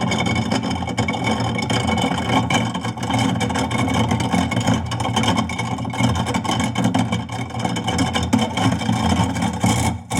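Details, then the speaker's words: Steady motor hum with loose rattling and grinding as bone pieces from a rack of ribs knock seized, rusted-tight garbage disposal impeller lugs free; run about 30 seconds at a time to avoid overheating the motor; noise means the lugs dislodged. "so if you notice that noise actually is a good thing it sounds good that it actually dislodged there you know"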